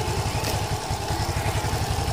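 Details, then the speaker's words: Yamaha LC135 after fitting a new Malaysian-made clutch housing and one-way clutch: a steady, even single-cylinder idle thump with no humming or rattle from the clutch side, also when revved. It sounds normal and healthy. "Yamaha buatan Malaysia dari segi auting memang cantiklah dia tiada bunyi dengung Bil kita pulat pun dia cantik dia normal mantap"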